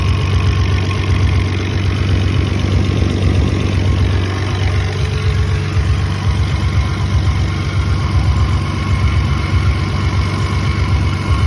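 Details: Toyota 7M-GE engine: low lumpy idle with uneven pulses around 95 a minute that never settle into a smooth beat; rough idle.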